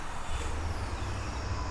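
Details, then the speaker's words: Stock 5.7 L Hemi V8 burning oil, random-misfire code: lumpy, uneven idle with cylinder one worst, not firing at all; smoke puffs from the plug hole. "it's obviously uh this thing is misfiring on cylinder number one the worst I mean it's really bad this thing's not firing at all"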